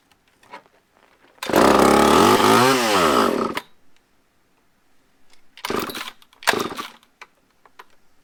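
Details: Used chainsaw with old fuel dumped, fresh fuel added, choked, and a fuel-line prime needed: fires and revs up smoothly for about two seconds, then drops off; runs cleanly once fuel reaches it.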